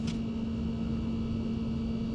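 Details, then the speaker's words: Sub-Zero refrigerator not cooling, compressor running; steady low electrical hum but no airflow building, as the condenser fan motor sticks and only spins when turned by hand. Seized condenser fan motor, to be replaced. "look once I spin it by hand it goes so this motor is just getting stuck definitely needs to be replaced"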